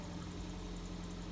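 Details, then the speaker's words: 2007 Ford Fiesta 1.25, five-door, at idle, clutch pedal pressed and released; owner reports high bite, squeaky and slipping clutch: quiet even idle with a faint constant hum under the engine note; slightly humming clutch release (throw-out) bearing. "clutch in, clutch out. It's got a slight humming on the throw out bearing."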